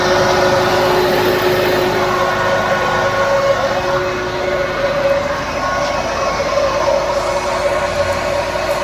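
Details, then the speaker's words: Maruti Suzuki WagonR running with the AC switched on, fan at setting 1: loud steady whirring drone and hum from the radiator fan, dropping markedly when the AC is turned off; engine overheating concerns. "फिर यह radiator प्रशंसक की ओर से बहुत शोर या आवाज"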